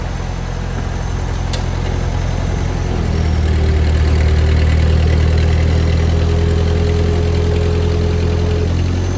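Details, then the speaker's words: Old Ford tractor restarted after clutch linkage adjustment, clutch worn and PTO tested: deep, steady, even chug at constant speed with no knocks or misses; runs smooth "like a sewing machine". "Like a sewing machine."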